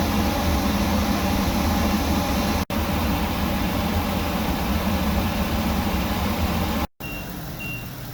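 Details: Workhorse W22/W24 chassis 8.1 Vortec with radiator blocked off, engine at 225°F: steady loud rushing air roar over the engine as the fan clutch fully locks up late (expected near 205); normal engagement.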